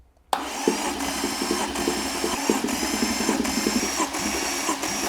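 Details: 2013 Maserati Quattroporte GTS Ferrari F154 530hp twin-turbo V8, 301,000 km, after oil filter change: even rhythmic starter churn with steady compression pulses, no misses or clatter; cranks normally.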